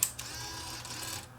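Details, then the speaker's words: Sony BEV8 8mm tape rewinder on 6 V, after freeing a jammed small motor that made it run only fast forward: short whir of small motor and gears spinning up, then a click as it settles; rewind runs freely after repair. "Now if I push the rewind button, it should go into rewind."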